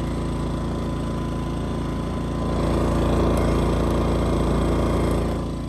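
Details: Westinghouse iGen2500 inverter generator (2200 running watts), just started on choke, all camper breakers off, no load: steady even hum and smooth low drone, no surging. Normal running, no load.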